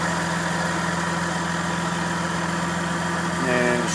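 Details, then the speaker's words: Lexus with AC overheating, during power steering fluid flush, idling: steady mid-pitched whine with bubbling as the pump draws air from low fluid; whine stops once topped up. "You hear that power steering pump whining like a [ __ ] bubbling up inside there."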